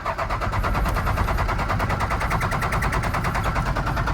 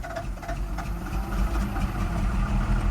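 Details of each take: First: First-gen Dodge Ram D250, 5.9L 12-valve Cummins diesel, after sitting for years in a salvage yard: steady cranking with even compression pulses, engine shaking but never catching; no fuel, lift pump suspected bad and to be replaced. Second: Deep, low diesel rumble at a steady idle with even clatter and no stumbles on a long-abandoned first-gen Dodge Ram D250 with a 5.9L 12-valve Cummins, after the lift pump was replaced; runs fine.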